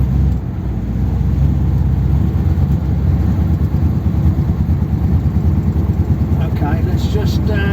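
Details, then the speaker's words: 1957 Ford Thunderbird V8 on the road after old modifications were reverted to original parts: it drones unevenly with a ragged beat, stumbling and surging under load. It is misfiring badly, which it didn't used to do, and the owner suspects flooding. "I don't know if you can hear it but the car yeah it's really misfiring badly which you didn't used to do"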